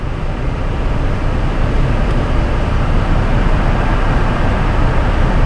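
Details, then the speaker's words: Chevrolet Trailblazer at idle, towed in for a dead battery and failing alternator: deep, uneven rumble from a cylinder 6 misfire with low contribution. A new engine may be needed. "Yeah, when we first cranked it up, you can definitely hear that low contribution."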